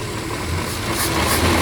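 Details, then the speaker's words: 1968 Kaiser Jeep M725 military ambulance, first run in 15+ years, cold, on an electric fuel pump after carburetor rework; the engine holds a steady, rough-edged idle with a slight rise toward the end. No oil pressure reading and the generator isn't working. "I'll let this warm up a bit since it hasn't ran in a very long time."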